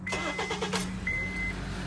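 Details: Honda Accord 2.4 with high-output alternator (2in pulley vs stock 2.5in), start after fitting shorter Gates K070714 serpentine belt: catches and settles to steady idle, no chirp or slap; much better than before.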